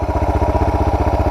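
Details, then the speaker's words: Suzuki DR650 single after carburettor and air box modification with new exhaust: steady, evenly spaced idle thump with no misses or clatter; owner says it's on par with before the mod, will keep tuning idle and mixture. "Pretty on par with what it was before I did the modification."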